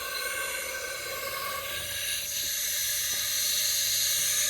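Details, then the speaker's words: Chinese wastegate bench-tested with air pressure: a steady hiss growing slightly louder as pressure builds, and still leaking at about 20 before it opens. Air leaking through the wastegate stem; the wastegate is toast. "even in the upper levels, it's still leaking. Leaking out there. So I would say that wastegate is toast."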